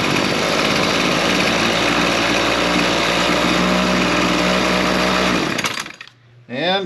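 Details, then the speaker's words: Two-stroke lawn tool after a fuel line that trapped air was trimmed, revived from stale fuel: a high, buzzy, steady fast speed with no surging or dropping out, and it idles without the head spinning. Normal running. "it seems to be running pretty good. So, I think that's all we need on that one."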